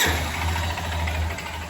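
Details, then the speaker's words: Lander 250 single-cylinder motorcycle with 29,966 km idling: dull rapid knock of worn connecting rod (marked rod pin), heavy carbon buildup; engine to be fully disassembled. "biela. Barulhinho aí de biela, muita carbonização aqui também, né?"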